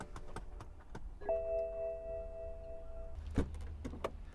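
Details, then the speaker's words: 2010 BMW 535i GT that won't start, on a hot day near 90°F: steady air suspension pump whine then a low hum as it tries to raise the sagging rear. The pump runs briefly, then stops as it nearly overheats. "the air pump is going to run for a little bit then it's going to stop because it almost overheats"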